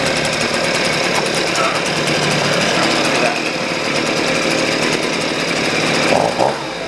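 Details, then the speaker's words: Husqvarna 125B two-stroke blower after a new piston (old one damaged by straight fuel): a steady, buzzy idle with a slightly lumpy, soft edge, so the low-speed mixture screw is set a little rich while the high is almost perfect. "the low i think is a little high or a little rich so i think i will lower that"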